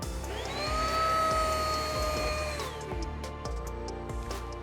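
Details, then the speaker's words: Riccar R27CV cordless upright vacuum with serpentine lifetime belt on a sensor: motor whine climbs at start then winds down and cuts out within about three seconds, red light on; brushroll jam triggers auto shutoff protection. "So, if we suck up something like the edge of a rug or a shoelace or the corner of something and it snags and it would normally like burn in a vacuum cleaner, this one's just going to shut down."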